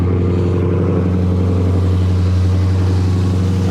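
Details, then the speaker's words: 2015–2020 Dodge Charger/Challenger 392 Hemi cold start after water pump replacement: steady, even low hum with smooth pulse and no whine, knock or squeal; much quieter than before the repair. "so i'll give it a little startup so y'all can hear how quiet it is now as compared to yesterday when i first heard it it was just god awful"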